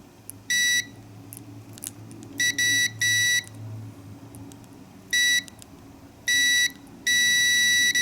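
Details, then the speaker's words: Heater O2 sensor (new Denso/NTK), multimeter probes on the two heater terminals: steady high continuity beep in short bursts; the heater circuit has continuity and the sensor is good. "you hear the beeping and the meter that means since continuity in the heater that mean that heater also and this sensor is good"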